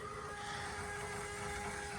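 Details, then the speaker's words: 1994–2002 Dodge Ram with Fass 165 lift pump, engine running: steady, loud high whine holding several pitches with no rhythm, audible over the engine; owner suspects a slightly pinched fuel line creating back pressure, fuel still flows. "That thing's so loud I can hear it over my engine running, but I have, as I said, a feeling that it's because that line is a little pinched."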